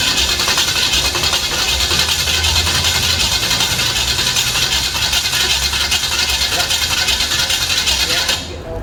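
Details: An 010 350 Chev small-block V8 on an engine stand, first fired for an HQ sedan rebuild. It settles into a steady, even idle with no knocks or misses and a sharp crackly exhaust note. The carby sounds good; normal idle.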